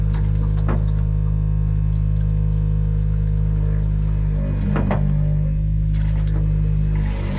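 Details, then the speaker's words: Fish-box pump on a 2024 Hewescraft 270 Alaskan with twin Yamaha F200s, building pressure after being switched on: a low, steady motor hum with no rattle or stutter, cycling normally. If it ran without the trigger pressed, that would mean a leak. "Now, that noise you hear there, that pump, now say that was turned on and you heard that without hitting the trigger, that means you got a leak somewhere."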